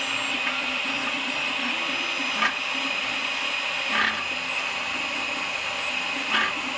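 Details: Malyan M150 3D printer, Y axis (bed movement): steady high stepper buzz with a light rattle at each bed reversal about every two seconds; worn linear bearings under the bed.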